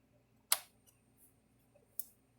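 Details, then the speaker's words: Zareba Red Snap'r Blitzer 10 Mile solar electric fence charger after repair, running without its LED connected: sharp single clicks about every second and a half over near silence, pulsing normally, with the tester reading 7,000 volts. "I can hear it clicking so now I just take my fence tester why some just crap up so I can show you getting 7,000 volts out of it"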